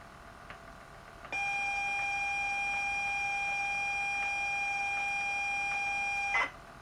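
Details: ZX Spectrum +2A tape drive after belt replacement and white lithium grease: steady pair of high data tones holding evenly for five seconds as a tape loads; drive still sounds worn but three of four tapes load.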